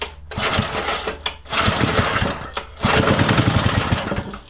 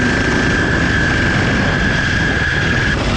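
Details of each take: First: Freshly rebuilt vintage Briggs & Stratton single, first bench run before fitting to the mini bike frame to break in the crankshaft: rapid popping with brief dips as the throttle moves, then it picks back up and runs on its own. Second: Vintage 4 hp Briggs & Stratton ex-generator single on a 1970s mini chopper, ridden at wide open throttle: rough, shaking running with a steady piercing high whistle that started again; cause not identified.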